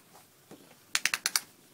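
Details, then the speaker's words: Prosthetic leg pin lock clicks in too easily, five quick sharp ratcheting clicks, showing a loose socket fit; needs about 3 more sock plies (the yellow sock) before re-donning. "You hear how easy that's clicking in? That means that I need to go up another 3 plies probably."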